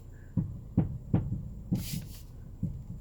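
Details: 2007 Honda CR-V (RE4) steering: five or six dull low clunks about half a second apart when turning left or right; mechanics suspect suspension, shock absorbers or shock mounts, and the owner has ordered parts.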